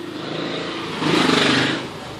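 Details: Angle grinder making a loud strange noise: harsh, rough, gritty whine swelling as it spins up instead of a clean hum; inspection found a failed bearing, replaced along with preventive maintenance.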